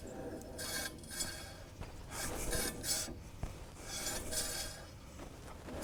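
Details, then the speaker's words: 1931 Plymouth front wheel turned by hand after refitting repaired warped brake drum, shoes backed slightly off from dragging; soft light rhythmic scraping swish about every two seconds, sounds pretty good; normal drum brake light contact. "All right, that actually sounds pretty good."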